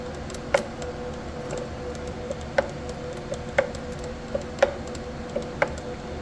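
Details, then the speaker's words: Anycubic Ace Pro filament feeder: sharp clicks roughly once a second, very loud, over faint motor hum while feeding filament from a plastic spool; cause unknown. "I'm feeding the filament in. Hear it clicking"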